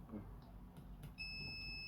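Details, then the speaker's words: AdBlue module board from a vehicle jump-started backwards, fuse pops: quiet bench noise then steady high continuity beep between positive and ground on the meter; TVS protection diode shorted. "okay so that was shorted let's try this one"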